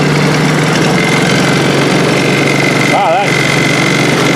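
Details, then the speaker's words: Chinese 50cc Honda-clone kids' ATV after valve adjustment (exhaust set with the 3 feeler gauge): fired up easier, steady even idle with no misses or stumbles, running much nicer than before; clutch still to be adjusted. "fired up a lot nicer oh that's way better than it was it's running way nicer"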